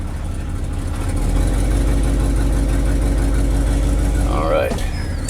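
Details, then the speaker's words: 1969 Ford F-250 on a test drive after bleeding the brakes: steady deep engine rumble with an even low beat and road noise, drum brakes still squeaky, exhaust still needs work and sounds a little rough. Engine runs normally. "sounds good. Still need to work on that exhaust a little bit, but here we go."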